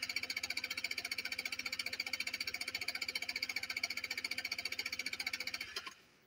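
Steady fast cranking at about three pulses a second for six seconds, no catch or firing, then it stops; cranks but won't start. Cause suspected, not confirmed.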